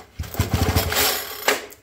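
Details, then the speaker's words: Homelite 2008 leaf blower, 26 BP two-stroke, sat for a long time: quick run of even, firm chuffs as the starter rope is pulled, each stroke pushing back solidly; good compression. "like it has good compression"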